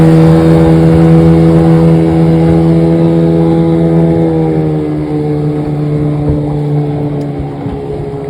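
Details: Restored 1996 Johnson 15 HP outboard, model J15RED0, on a lake test after a stuck thermostat and its gasket were replaced; it was thought to have caused overheating, heat-sensor shutdown and bogging. Steady even drone with a low hum, easing as the boat pulls away. Normal running.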